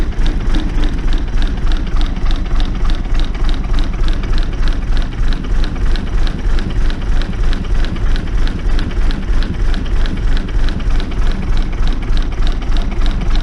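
Even diesel clatter at a steady beat of about 200 per minute, no misses or stumbles; this engine is idling smoothly after starting.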